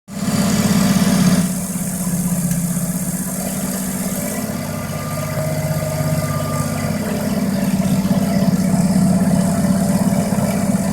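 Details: Mazda RX7 rotary engine idling with a rough, puffing exhaust note and a brief rev near the end: exhaust leak.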